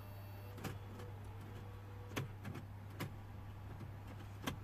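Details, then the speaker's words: 2006 BMW E60 535d twin-turbo 3.0 diesel with dead CCC I-Drive unit, after plugging in replacement CCC: faint mechanical clicks and whirs over a low electrical hum as the CD changer cycles discs normally. "CD changer is going through the CDs"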